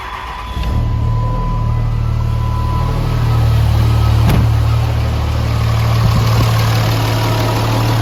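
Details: Mega Cab diesel street truck, first start after fitting a new S475 turbo with primed oil feed line: catches and settles into a smooth, even, quiet low diesel idle clatter with no knocks or whistles.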